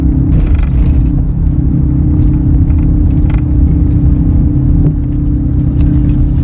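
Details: 2003 Ford F-150 while driving: steady low-pitched hum holds a constant note under heavy road rumble; humming noise, source not pinned down, could be a number of things.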